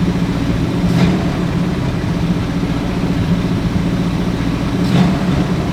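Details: Ford Galaxie with 289 or 302 V8 (uncertain), freshly started before timing and carburetor secondary adjustment: steady idle sitting noticeably high and even, no misses or knocks; fast idle, suspected from timing.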